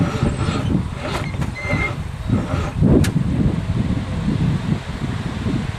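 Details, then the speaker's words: 1963 Allis-Chalmers front end loader with 1978 Monte Carlo 305 V8, sitting 5.5 years: tight, labored low churning crank without firing while pumping gas; owner suspects battery connection or seizing motor; crank, no start. "Cranking. Pump that bitch. She's awful tight. Well, I think I gotta see if it's a battery connection or a seizing motor. No luck so far."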